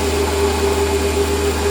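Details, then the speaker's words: Lathe with newly built stepper motor feed drive running at a fine feed: quiet, even hum with a faint steady whine, no stutter, where the old feed motor used to howl. Normal stepper feed operation. "And now we can't hear the feed motor. We used to be able to hear it howling away."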